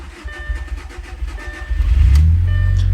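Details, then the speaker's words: B7 Audi A4 2.0T EA113, run to relieve fuel pressure before LPFP gasket replacement: low drone wavering and surging unevenly, idle hunting and faltering as if starved of fuel; being left to run until it dies. "see, still doing, sounds a little weird, but I'm literally just gonna let this run until it dies."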